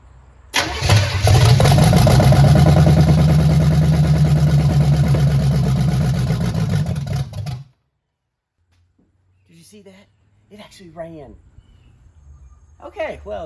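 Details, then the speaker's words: 1968 Chevelle with free small-block Chevy V8 swapped in, first start with new ignition parts and headers: catches, runs unevenly about seven seconds then dies abruptly, fuel-starved at idle; owner suspects fuel isn't coming through the idle circuits. "I don't think it's coming through the idle circuits, but we can sure spray it and see if it'll run a little bit longer."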